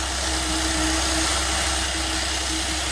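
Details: 2012 Chevrolet Traverse petrol engine idling after repair for no-start after fueling and P0496 evap flow during non-purge code, replacement part fitted: steady, even idle with no misses, knocks or whistles over background hiss; healthy.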